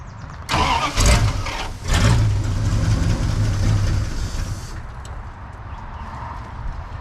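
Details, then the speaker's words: Junk Dodge Ramcharger V8, third start attempt after a starter change, gas added: starter churns in bursts, never catches or fires; cranks fine but no fuel getting to the engine, though it was verified to run. "I think I found the problem we have no fuel getting to the engine but we verified that it runs"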